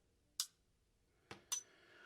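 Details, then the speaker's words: Colt 1911 SE-A1 Limited Edition pistol: three sharp metallic clicks with a double snap as the sear drags on a gritty, unfinished hammer shelf, sticks, then snaps back when the hammer is relieved; sticking sear. "it's gritty it's not finished out it's grit grit grit grit grit and it sticks and when you relieve the hammer the sear snaps back"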